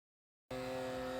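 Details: Creality K1 3D printer, fan in the base: steady whir with a rough, gritty buzz from a worn fan bearing; the noise fades as the bearings warm up, replacement fan ordered.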